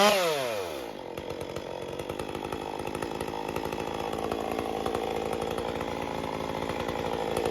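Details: Stihl MS201T chainsaw dropping from full throttle to idle: ragged, hunting, inconsistent tune with an uneven firing rhythm, especially at idle and when coming off full throttle. Erratic idle.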